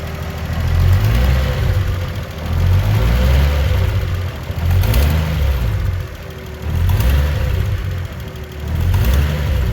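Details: Toyota Mark II JZX110 with a 1JZ-GTE VVTi: rough idle with rev blips and a puffing, ticking leak from the turbo side rising with revs, an exhaust manifold gasket leak.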